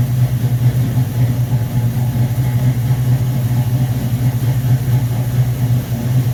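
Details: 1969 Corvette V8 on first start after rebuilt Rochester Quadrajet 7029202, bowl damaged by ethanol fuel and cleaned: steady even low rumble, no misses, knocks or hunting; normal idle.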